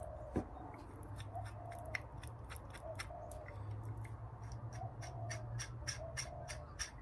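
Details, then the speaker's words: Husqvarna 345 chainsaw crankshaft spun by hand after removal, bearings noisy when revved: gritty clicking and crunching from a rough, worn crankshaft main bearing. "There's the noisy culprit there."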